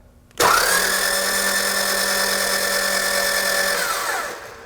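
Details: Engine cranked with the ignition off after a suspected broken timing belt: fast, smooth, even cranking whir with no compression pulses, and the camshaft is not moving, confirming the timing belt is broken.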